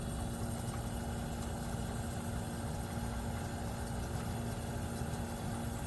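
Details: 1973 Westinghouse 25-pint heavy-duty dehumidifier, just acquired after sitting in a cabinet shop, running normally with frost on the evaporator: even steady low mains-pitch drone, no knocks or rattles.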